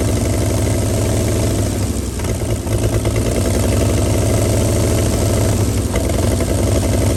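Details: 1937 Chevy truck inline six, sat about 45 years, rear end locked up, warming fast and boiling its water: low, even, smooth idle with no knocks or misses; normal idle.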